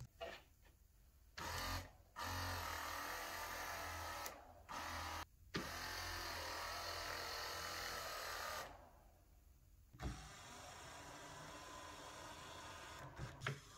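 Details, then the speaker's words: Mercedes CLK 500 electric steering column: tilt motor whirs in short bursts spinning freely, gearbox not driven, because the rubber flex coupling between motor and tilt gearbox has aged and split in the middle. "it gets cut from the middle and in that case you will have your tilt motor running you hear the motor running but that gearbox doesn't get energized"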